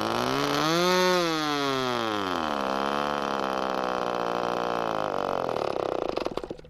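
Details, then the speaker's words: ASP/Magnum .21 model glow engine, first-tank run-in with rich needle about 3.5 turns out: buzzing engine climbs, then pitch wavers and sags, leaning out and sputtering to a stop as the fuel runs out after about eight minutes. "it ran like this for about eight minutes before it ran out of fuel you can hear it lean out just before"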